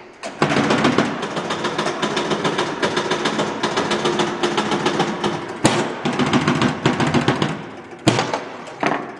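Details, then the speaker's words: 1973 Gottlieb Jumpin Jack EM pinball with a reset problem, after cleaning and polishing the stepper plate rivets and fresh gel lube: rapid machine-gun clatter as the stepper scans the drop targets ten times and resets them; normal operation. "hear that that that's that stepper scanning the drop target so if i put down these four and then when i lose the ball you'll hear it scan through that 10 times"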